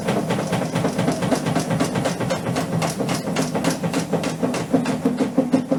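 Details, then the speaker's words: Amica washing machine at highest spin speed: rapid rhythmic thumping about three knocks a second over loud drone, machine unstable and jumping; cause a failed left shock absorber, being replaced. "tak jak widać kilka bardzo hałasuje widać tendencję do niestabilności jest z nią nie tak powodem takiego zachowania jest uszkodzony amortyzator po lewej stronie"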